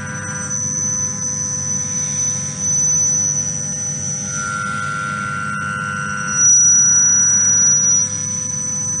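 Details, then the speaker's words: Milling a thin-walled tube: a piercing, steady high squeal at 5,800 Hz rings over the cut, which a sound sensor identifies as chatter from the cutting tool. "So just now you hear high pitched sound. So here is actually sound sensor which detects chatter. The frequency is 5,800 hertz, which is a very high frequency, which comes from cutting tool."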